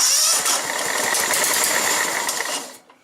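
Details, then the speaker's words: John Deere STX38 riding mower, 12.5 hp Kohler, after fixing a no-start caused by a loose engine-mount ground: starter catches and the engine fires cleanly on the first turn into a steady run. It now starts every time. Normal start. "Starts up every time you hit the key now."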